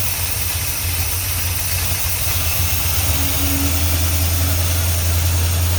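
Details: 1978 Plymouth Trail Duster V8 running after carburetor rebuild, fuel pump replacement, oil change and fluid top-off: steady low drone firming up slightly, no misses or knocking; engine running smoothly.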